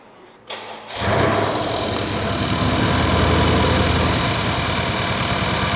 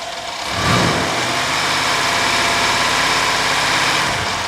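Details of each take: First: Mercedes-Benz CLS AMG with intermittent crank position sensor 1 fault, stalling and misfire complaints, crank sensor replaced twice and ECU replaced, codes cleared: engine cranks, catches quickly and settles to an even idle with no stumble or shake; revs reportedly limited near 2000 rpm. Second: Mercedes CLS AMG with intermittent crankshaft position sensor 1 fault (sensor replaced twice, ECU replaced), stalling and rough running: smooth at idle, but under full throttle revs rise then hang flat near 2000 rpm and drop back; cause unknown.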